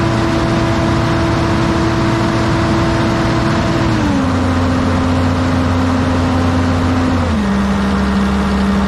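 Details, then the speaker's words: Kobelco 250 excavator diesel, just after a replacement muffler was installed over the failed one: a steady, even drone settling in two clean steps to a lower idle, no rattle or chuff; normal idle. "But it's all in, and I think we should fire it up and see what happens."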